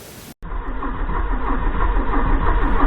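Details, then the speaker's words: 1984 Porsche 944 after 20+ years' storage, after swapping speed sensor: starter cranks evenly about three and a half beats a second but never catches; no fuel pump, no spark — cause DME relay pin pushed out. "no cameras still no fuel pump without me applying 12-bolt directly to the fuel pump and still no spark"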